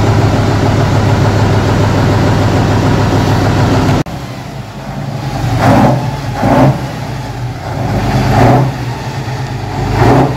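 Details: 1976 Tatra 813 V12, first start after about 20 years idle, following replacement of damaged parts and engine reassembly: loud opening, then low steady running with a few irregular throttle blips; sounds healthy.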